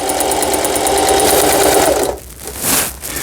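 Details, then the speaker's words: Singer 4432 sewing machine (used overseas direct-purchase unit, noisy with parts knocking and auto-threader dislodged from new), after repair and part replacement: straight stitch forward/reverse test, smooth even hum about four beats a second, then stop, no knocking; normal running. "노루발 밑에 직선 바느질이 되겠습니다. 직선, 네, 전진, 후진 버튼이에요."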